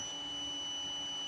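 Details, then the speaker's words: Photocopier optical sensor on a digital sensor tester: steady, high, pure beep tone; the sensor still works but is weak or dying. "Nah, tapi ini hidup tapi ini sekarat nih."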